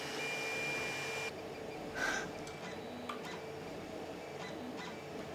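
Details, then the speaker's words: Creality CR-10 3D printer after Noctua hotend fan and stepper motor vibration dampeners, printing: very low even hum, faint fan whir, occasional soft axis move; X and Y nearly silent, Z axis, control box and part cooling fans still audible. "do you hear that that's the c-axis moment that's how it sounded before that is ex moving and why moving if you can pretty much know adhere them at all this is just crazy oh my god Wow"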